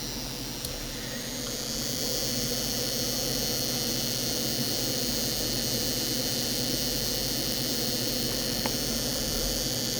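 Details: 2007 FSP 300W power supply, likely from an Acer, switched on unloaded: steady high-pitched cicada-like whine with faint chirps; noisy 12-volt rail; owner suspects bad capacitors, not confirmed.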